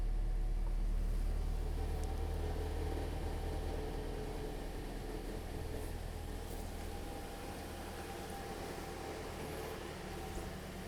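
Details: 2010 Toyota Corolla idling after radiator and coolant connector pipe replacement, heater on, thermostat not yet open while bleeding air bubbles: quiet, even low hum with no knocks, ticks or squeals, a steady healthy idle.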